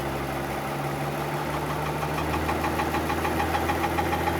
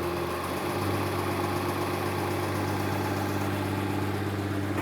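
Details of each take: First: 2015 Mercedes-Benz S65 AMG after full engine rebuild, new starter motor fitted: quiet at idle, light fast regular knock when revving; new starter touching something, noise gone after loosening starter bolts; modification needed. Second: 2015 Mercedes-Benz S65 AMG with a fully rebuilt engine: a steady, even idle with a smooth low hum. The knocking that came on revving stopped once the starter motor bolt was loosened, so the starter motor was touching and the engine is fine.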